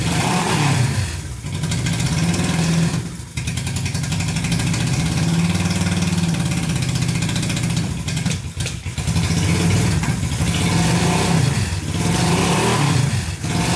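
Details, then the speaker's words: Barn-find Honda CB350 twin (listed as 1970 or 1974) just fired on first choked start after years sitting: fires and revs but the note sags each time the throttle closes, never settling to idle; carbs need adjusting, black smoke puffs cleared. "fired right up sound pretty good we gotta get dialed in because it was not idling but other than that it sounded really good"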